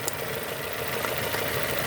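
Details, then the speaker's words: 2002 Nissan Almera N16, QG18 cable-throttle engine, idling after swapped cylinder 3 and 4 ignition coil connectors were corrected: smooth, constant idle with light even hiss, all four cylinders contributing, no more misfires. "2 contributing, 1 contributing. No more misfires. All because they mix up this and this."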